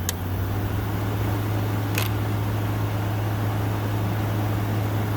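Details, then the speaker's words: 2014 Frigidaire 5000 BTU window AC, unused five years, cleaned, on high cool: steady low hum, fan whoosh, light clicks, no strain; compressor quiet, air 52°F and dropping. "Oh, that works great. That is freezing cold. 52 and dropping. That compressor is really quiet."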